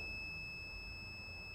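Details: Multimeter continuity test on an AlphaMOS E6930 dual N-channel MOSFET after gate charged (negative on drain, positive on gate): steady, high, unbroken beep drain to source, so the MOSFET switches on properly; MOSFET good.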